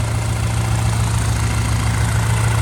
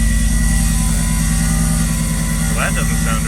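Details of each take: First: Built big-turbo B8 Audi A4 nearing operating temperature: smooth, steady idle with the scraping gone; owner thinks running it flattened the bent plate by the transmission. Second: Built big-turbo B8 Audi A4 on first startup after rebuild, low fuel and a leaky exhaust: harsh scraping clatter over a rough idle; owner believes a bent plate between transmission and block is rubbing.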